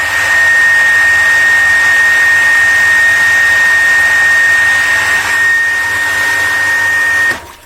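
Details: Water pump station: piercing steady whistle near two kilohertz over the motor hum, stopping when the pump shuts off, caused by a worn mechanical shaft seal needing replacement. Mechanical seal whistle.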